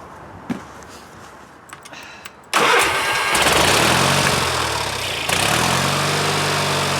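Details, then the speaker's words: Early-1990s Craftsman GT6000 tractor, Kohler Magnum 18HP, after complete carburetor cleaning and rebuild, fuel now reaching the filter: catches at once and settles into a steady, even idle with no surging, popping or misfire; healthy. "filter it's running now oh my goodness that sounds so much better yeah that's amazing my goodness that sounds so nice"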